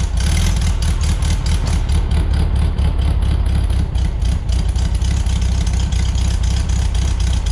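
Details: 1973 VW Beetle flat-four, new remanufactured Bosch 034 distributor, warming up on choke, timing about 8 degrees: steady chuffing beat with quick even exhaust pulses, no misses or knocks; normal idle.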